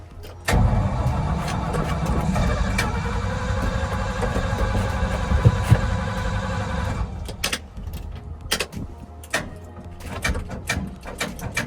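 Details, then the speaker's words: 1979 Ford F700 dump truck with a long-sitting 12-volt battery and almost no gas: slow, labouring cranking at about four turns a second for six seconds that never catches. The starter motor is worn and on its way out. "That starter is on its way out."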